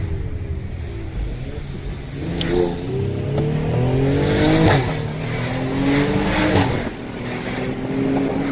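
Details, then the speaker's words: 2017 Mercedes-AMG GLE 43 after rebuild, revving: engine rises and falls with sharp exhaust cracks on throttle lift; intended crackle, nothing wrong. "Hear that clap? You hear that clap? That clap sound good."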